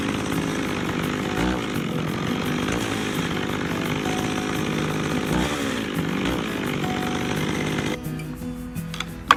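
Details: McCulloch 610 chainsaw, after carburetor cleaning: a high, steady scream held at full throttle for about eight seconds, then a clean cut-off; it pulls strong with no bogging.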